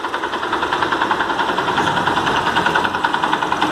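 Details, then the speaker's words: Yamaha YBR 125 Factor single idling with a light, fast metallic rattle of three or four ticks a second, only at idle and gone at higher revs; cause is the electric-start one-way clutch with loose bolts. "não demonstrar aqui desse lado não pode ser que a embreagem com o direcional que fica no conjunto da partida elétrica está fazendo barulho"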